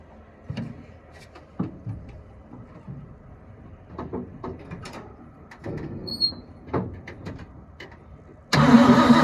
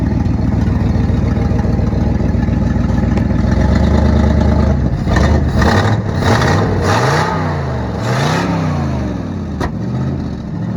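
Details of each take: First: 1972 Ford F-350 auction truck on a chilly day, bowls full: uneven cranking with brief sputtering catches that die out, then a loud burst; not pumping fuel, and a frozen part found afterward likely needs penetrant. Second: 1972 Ford F-350 V8 auction truck after getting it running: even idle then several crisp rev blips, no valve train clatter; owner says it sounds and runs good, possible exhaust leak on one side (donut).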